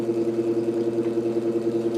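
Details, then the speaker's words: 1949 GE Vortalex 12-inch desk fan during repair, oscillator locked: steady motor hum with a fast rhythmic pulsing each revolution from a wobbling, out-of-true blade; owner wishes for a new blade, and a bent shaft is to be checked. "And it's got some wobble. And that is purely because I really wish I could find a new blade for this because"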